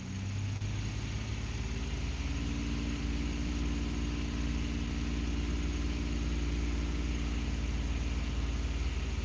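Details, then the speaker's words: Ford F-150 (cam phaser rattle job), freshly started after oil priming, codes cleared, held at raised rpm while power balance is monitored: smooth even drone, steady firing, no cylinders dropping out; cylinders 4 and 6 vary slightly but no misfire; running okay. "No cylinders dropping out. Cylinder 4 is up and down a little bit, but it's not misfiring. But so is cylinder 6 doing the same thing as well. Seems to be running okay."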